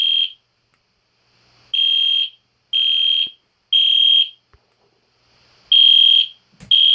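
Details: EST Genesis horn strobe fire alarm set off again on test, indoors late at night: loud shrill half-second horn blasts in groups of three with pauses, like a higher-pitched Spectre alert; horn sounding normally.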